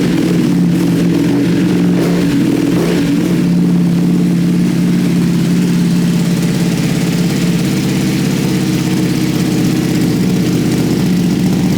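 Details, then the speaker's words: Rebuilt wrecked 2021 Ducati Panigale V2, fired up again after its first successful start following the rebuild, fairings off: a few throttle blips, then a steady, even twin-cylinder idle without knocks or misses. Normal start and idle. "that just sounds amazing. Oh, wow. So pleased that that's worked."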